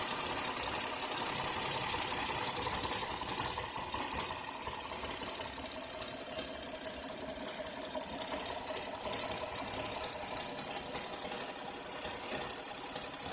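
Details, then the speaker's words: 2007 Santa Fe (built 9/2006) idling with fast light clicking and slightly rough uneven note, appearing after spark plugs were changed a second time; owner may recheck a vacuum line, cause unconfirmed. "is just a little bit rough after I change the plugs. Maybe I'll double check the vacuum line, but that's what the sound like."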